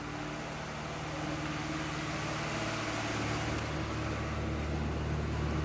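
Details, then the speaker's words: Red Integra: engine holds a steady hum well above normal idle, with a coolant leak present; owner suspects a dirty, clogged idle air control valve. "as you can hear is revving up high but look coolant leak somewhere"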